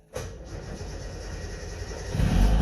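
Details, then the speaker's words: Two-stroke Subaru 360 started in neutral after the fuel pump was heard running: the engine catches instantly on the key, settles into a steady buzzing idle, then picks up briefly; a clean, healthy start with little or no smoke. "yeah, she fired right up."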